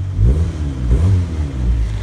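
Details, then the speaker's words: Honda Civic D16Y7 non-VTEC turbo setup, exhaust running after the broken exhaust was welded and sealed with JB Weld. Deep, smooth rumble rising and falling with the revs, with no ticking or puffing; the leak is fixed. "so here's what it sounds like now without the leak sounds like it worked"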